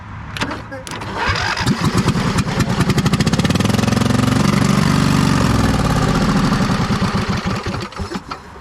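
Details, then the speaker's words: 2005 Husqvarna YTH2448 with a Briggs & Stratton 24 hp 725cc V-twin, weak battery: starter cranks and the engine catches on starter spray, runs rough for a few seconds, then dies. It runs only on starter fluid; fuel isn't pumping through. "Well, it seems like it only ran on starter fluid. See if we can get some fuel to pump through."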